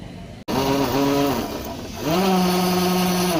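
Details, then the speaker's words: TVS Raider BS6 motorcycle on the self-starter: a harsh whirring rattle rises and holds while the engine fails to start, with excessive noise and a reported crank sound. "Self కొట్టగానే మనకి bike అనేది start కావడం లేదు, ఓవర్గా sound అయితే వస్తుంది. అలాగే crank sound కూడా ఉంది అని అన్న వాళ్ళు అయితే చెప్పారు."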